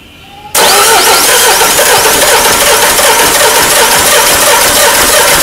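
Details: Peugeot 307 HDi 2.0 common-rail diesel that died while driving and won't restart: loud, long cranking that never catches into idle; hard start, cause not yet found, scanner diagnosis next.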